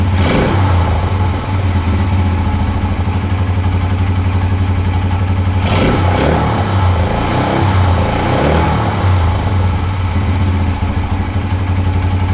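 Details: 1980 Honda XL250S single after refilling with fresh fuel. Starts on one kick, settles into a steady idle and picks up cleanly on quick blips. Earlier no-start, poor idle and stalling were traced to bad fuel.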